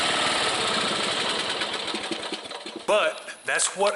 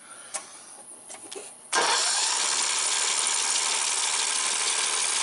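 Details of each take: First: Small single-cylinder mower engine that wouldn't start because of a carbon-fouled, shorted spark plug, restarted: steady, even firing pulses, no misses or sputter; normal running. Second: Briggs & Stratton single-cylinder 14.5 hp overhead-valve mower engine with good spark, choke off: steady cranking about three turns a second for five seconds with no pop or catch; fouled spark plug found.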